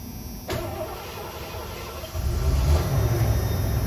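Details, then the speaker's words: 1988 Ford Econoline 150 conversion van V8 after a tune-up, with cap, rotor and broken vacuum line fixed and oil changed: brief crank, then a steady even low rumble with no knocks or misses; normal start. "sounds like an old ford nice well everything seems to be running good"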